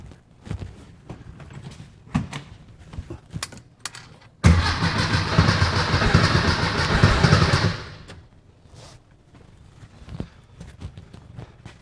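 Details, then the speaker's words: 1964 VW Beetle after tune-up with new carburetor, rockers, cap and rotor: engine cranks with a steady low chug but won't fire; owner suspects it flooded from excessive cranking, timing light strobing, a gallop audible. "I don't know if you heard it she's doing something now probably from the excessive cranking I did uh most likely flooded it"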